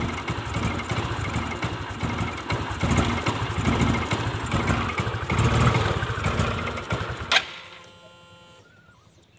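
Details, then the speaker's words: Fuel-injected motorcycle runs rough and uneven under throttle for several seconds, then stalls abruptly when throttle is released; also hard to start and won't idle; fuel pump pressure and throttle body suspected, not confirmed. "diputar gas di begitu dilepas gasnya mati ya seperti apa penyebabnya"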